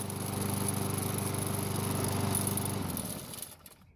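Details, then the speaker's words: Free Lawn Boy mower after its gummed choke flap pivot was soaked with carb cleaner: even, steady firing about three times a second with no misses or stumbles, then a clean wind-down at shutoff; runs healthy after the repair. "So it started right up and ran extremely well, but unfortunately we have a new problem."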